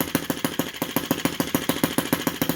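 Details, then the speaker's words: Model Lanz-type T16B half-tracked tractor, small petrol four-stroke, very first start via drill starter: crisp, even pops at about six or seven per second with nothing irregular. Running cleanly and healthy. "Like that's it. That's the very first start. So I can feel the air. I can feel the wind coming out of this. I love that sound."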